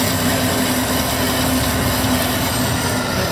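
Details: 1972 Grob 4V-24 24-inch 3 HP vertical bandsaw, variable speed 40–5000 FPM via gearbox: the blade speeds up very quietly, a smooth constant running noise with a faint steady tone and no knocking or grinding; running healthy.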